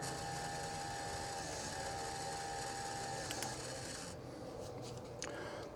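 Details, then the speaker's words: Electric fuel pump on the port (left) fuel side of a 454 Cobra Marlin performance boat, wired to pump out old gas, primes with a steady even hum and thin whine for about four seconds, then cuts off cleanly; normal fuel pump operation. "let's see how this goes there she goes right there pretty pretty as it can be turn it on again"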